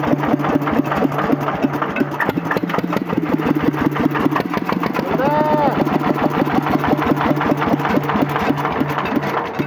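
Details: Single-cylinder diesel water-pump engine (1100–1130 series) after repair, pressures and injector spray checked good, pump belt just fitted: steady, even thump at constant idle with no misses or knocks; running normally.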